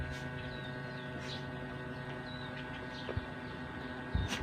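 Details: Star Crown electric fan that wouldn't spin and hummed, after capacitor work, running on low speed: quiet steady hum with soft even whirr, no scraping or labouring; normal running after repair.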